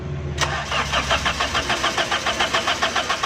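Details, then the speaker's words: Crank no-start on a 2008 Toyota Corolla running on petrol, with ignition coil removed to test: the starter cranks steadily but the engine never catches and there is no spark at the plug; crank sensor wire suspected. "बस हो दोस्तों, इसका प्लग का करंट नहीं आ रहा। उसके बाद क्या चीज़ चेक करनी है दोस्तों। प्लग में करंट नहीं आ रहा,"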